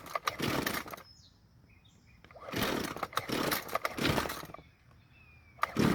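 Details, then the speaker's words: Warm Jonsered two-stroke string trimmer on fresh fuel, following hot-start instructions: several separate pull-start bursts with quiet gaps before it keeps running; hard hot restart from a rich low-speed mixture. Idle seems somewhat better afterward. "um as you just saw it took several pulls to get it to start up again but the idle seems to be better but who knows for how long"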